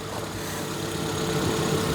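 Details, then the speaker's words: 2002 Proton Wira idling smoothly and evenly with no misses or stumbles, after new fuel injectors were fitted to cure its earlier poor running and misfire. "It's not farting and fluttering and missing and struggling and idling. It's running well. It's running very well, actually. Isn't it? Yeah, That's running really nicely."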